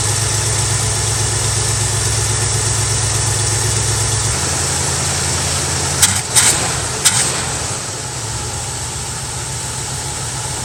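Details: Mustang V8 with carb, cold start at night after replacing a bad, arcing spark plug wire that caused a slight tremble: steady low-rumble idle with a few clunks partway through.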